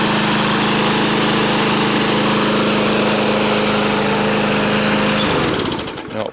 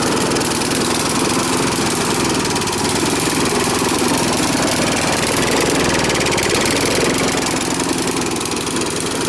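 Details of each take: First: Briggs & Stratton push mower that had run rich, blowing black smoke and oil from muffler, after repair: holds steady even drone five seconds with no surging or sputter, then shuts down cleanly; normal running. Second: Briggs & Stratton push mower, air cleaner off, overfilled with oil: loud uneven lumpy single-cylinder chug about four beats a second, worsening when the intake is covered; running rich, too much fuel.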